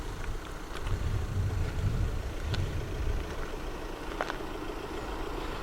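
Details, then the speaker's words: 1993 Yamaha YZF750R, finished and road-tested after coil replacement, fitted with a not-for-road-use aftermarket exhaust: deep, even four-cylinder idle burble with loud open exhaust note, no ticks or knocks; running healthy. "Exhaust sounds really nice as well. It's technically not a road legal exhaust. It does say on there that it's not for road use, but it sounds really nice."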